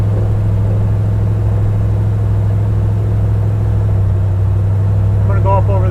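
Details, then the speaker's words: 1974 Plymouth Road Runner with a swapped-in 46RH/518 overdrive automatic, driving while adjusting lock-up: deep, heavy drone with slow uneven chugging at low revs under load, engine lugging because the torque converter locks up too early. "so you hear it feel it chugging or you can hear it chugging it's because it's on lockup and the engine is hardly going"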